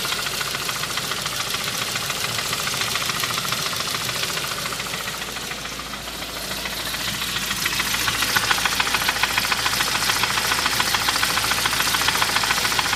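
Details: 2001 Saab 9-5, 14 years old, at idle: fast steady tapping about two per second with top-end clatter; persists after replacing main and rod bearings and unsticking lifters; owner suspects lifters or timing, unconfirmed.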